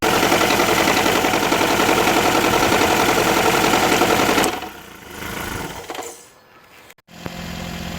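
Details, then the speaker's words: 2009 Nissan Altima Hybrid that would not go into Ready mode due to a misfire from a shorted ignition coil: the engine fires and runs steadily and evenly on all cylinders, ready for a test drive. "so the vehicle is running ready for a test drive"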